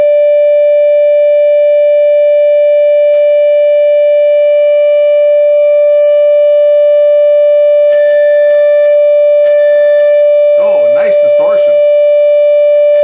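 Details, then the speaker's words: Defective-out-of-box class D amplifier fed a 10 kHz tone: steady mid-pitched tone with a rough, pulsing warble as switching noise leaks through and beats against the signal; not running hot. "listen to it I know many guys can hear the beating but it's pretty ugly the beating sound between the the 10 kilohertz signal coming"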